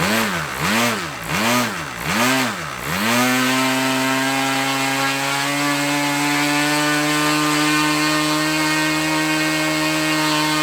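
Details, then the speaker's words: OS LA40 nitro engine on a Balsa trainer RC plane, first start after months sitting, mixture leaned from rich: four clean throttle blips then steady even high-pitched run with no sag or misfire; normal nitro engine run. "Wow first time fired up can you believe that I mean wow I mean she's been sitting in the hanger for a few months now and everything else one turn and she fired up I am so impressed with that little engine"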